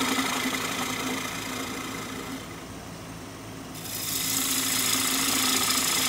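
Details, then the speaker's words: Lathe turning a very dry apple-wood bowl blank, about 11 in, that has a crack: hissing cut with a steady tick about four times a second keeping pace with the spinning bowl; a new rhythmic noise of unknown cause. "you may have heard it just started making a new noise there that crack has stopped that crack does not continue on it stops just before we get to this this section here"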